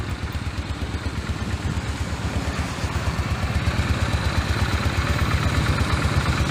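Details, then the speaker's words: Honda Steed 400 V-twin, carburetor just cleaned, oil changed, started cold with one press and no choke: low, even thumping idle about 170 beats a minute, no knocks or rattles; normal healthy idle. "ไม่ต้องเบิ้ลเลยตอนกว่าเบาๆไม่ต้องดึงโชว์ก็ติดคาบูดีหัวเทียนดีระบบไฟนี้นะครับน้ำมันดีก็สมบูรณ์ครับตาร์ติดง่ายสน"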